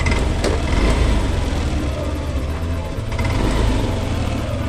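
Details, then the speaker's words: Yamaha Lexi 125 (VVA) scooter idling smoothly after replacing the valve rocker arms, valves set to factory 0.10 mm intake and 0.15 mm exhaust; even low thrum with no top-end tapping, quieter than before. "Hai oleh teman-teman ini adalah Max Yamaha Lexi yang telah kita ganti pelatuknya ya suaranya pun menjadi lebih halus dibandingkan sebelumnya"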